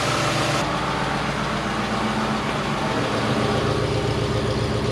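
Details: 2022 Ford F-150 5.0L V8 first start after engine replacement (block holed after Whipple supercharger install) with long tube headers fitted: loud, steady idle with a throaty exhaust note and no knocks or misses; normal idle.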